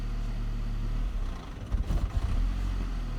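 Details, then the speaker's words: 2002 Saab 9-3 SE after head gasket replacement, idling around 900 rpm: the engine labours, sags and surges when gas is added, with a delayed rev, lights dimming and revs dropping near 500 before it stalls; it is bogging under throttle. "so give it a little bit of gas it's trying to bog down when i give a gas i just gave it gas and it's bogging down died out"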